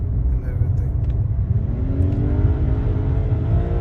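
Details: BMW 3 Series automatic while driving, fluid and filter just replaced: engine note climbs and flares under throttle without matching pull, with jerking; transmission slipping, owner suspects solenoids, cause unconfirmed.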